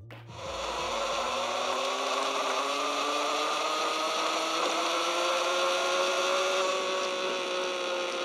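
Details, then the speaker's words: Zipforce Distance e-bike friction-drive kit (250 W motor, 16 Ah battery) running on knobby off-road tires, much louder than on slick tires: loud, rough rasping whine climbing slowly in pitch as the roller spins up; normal. "Utiliser le Zipforce avec des pneus de ville ou slick réduit beaucoup le bruit. Cependant, avec des pneus de cross ou tout terrain, le niveau de bruit est nettement plus élevé, comme vous pouvez"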